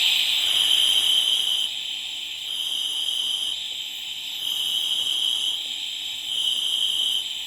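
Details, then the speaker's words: Rolls-Royce Silver Cloud steering box spool valve bench-tested with compressed air after reassembly and seal replacement: steady air hiss swelling and dropping as the valve is actuated, flow switching between bottom and top ram ports as it should. "So you can hear it coming all actually down the bottom port. Now you can hear it coming out the top."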